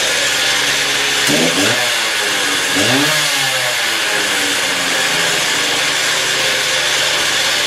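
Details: Stihl TS350 cut-off saw after engine rebuild, fuel freshly mixed, choke off, old blade fitted, already run two hours earlier, warming up; crisp two-stroke wail revs up cleanly twice and falls back to a steady high run with quick throttle response, normal running.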